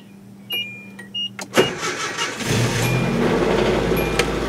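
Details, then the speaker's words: Grandma's old Nissan pickup with a bad clutch: a few clicks, then a short lazy crank before it catches and settles into a steady idle that sounds good; slow cranking start, owner suspects it could need a battery. "And it actually sounds quite good. A little slow starting, could need a battery."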